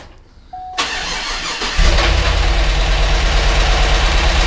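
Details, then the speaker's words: GMC Yukon Denali 6.2L LS V8 with DOD, first start after engine reassembly in cold weather, oil pressure present: cranks, catches, idles with fast light ticking; owner suspects hydraulic lifters not yet filled with oil; lifter tick. "I shut it off because it didn't sound great quite sure what's going on we had oil pressure now whether the lifters just don't have enough oil in them yet because the hydraulic"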